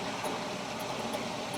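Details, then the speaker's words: Hewescraft 210 SeaRunner on its trailer, with one of two aft bilge pumps in the extended transom near the drain plug fed by a hose: steady hissing pump noise with an airy slurp as it begins sucking air; it should shut off automatically once dry. "And in theory, okay, she's starting to suck some air now. Yeah, I hear it. It should shut off at that point"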